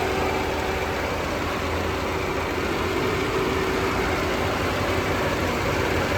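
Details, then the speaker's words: Tata Zest petrol with a cylinder 4 misfire fault (P0304/P0300): even, quiet, stable idle under AC load, no missing beats, running on all cylinders. "Engine की condition देखिए बिल्कुल stable engine है इसको ये देख AC on है अभी AC में भी देखिए बिल्कुल स्मूथ"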